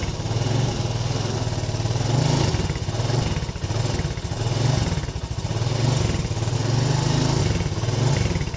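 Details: Yamaha Lagenda 115 FI that is hard to start, stalls and won't idle: the idle keeps swelling and sagging every second or so instead of holding steady. Cause found to be a dirty throttle body.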